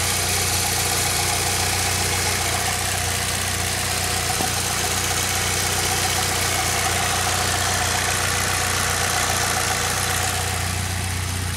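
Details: 2006 Saab 9-3 2.0T, 189,000 miles, idling after valve cover gasket replacement, before oil change; steady even idle, smooth low hum with constant pitch, no knocks or misses; normal idle.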